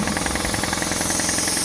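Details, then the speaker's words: Repaired compressor with a brand new motor, which previously would not restart with air in the tank. After draining from just over 100 psi, it chugs fast and evenly without bogging or stalling: it starts and runs normally under tank pressure. "started up just like it should that's great"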